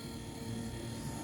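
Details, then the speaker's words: Jeep XJ after the wiper motor, which had play in its main shaft, was replaced. Brief, even motor hum with no rattle. The wipers no longer jerk or make noise, so the new motor runs normally. "Okay, they're not jerking, not making any more noise."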